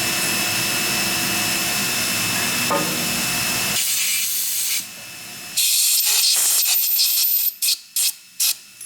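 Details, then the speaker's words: Hand-backing a tap out of titanium part: short scraping squeals in bursts with quiet gaps between turns; normal titanium grabbing on the tap, nothing broken. "I don't know if you can hear that squeaking or not when I'm backing the tap up. It's the way it is with titanium. It kind of grabs on the tap."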